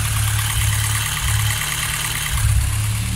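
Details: Steady idle drone with a faint high hiss and whirr on a 16-valve engine; unusual idle noise, source not pinned down; owner suspects the throttle butterfly or a tensioner pulley, not confirmed.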